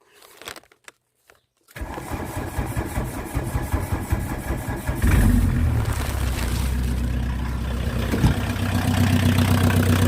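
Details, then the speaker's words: VW Mk2 Golf 1.6 diesel, just refitted and run earlier that morning, started without choke (owner later says it wasn't warm enough and needed it): starter churns briefly, engine catches and settles into a loud, steady clattering idle; clean start. "Let's get it started. I will say these engines are noisy, so please bear with. But yeah, let's get inside and start her up. I have had it running this morning, so I won't need the choke on."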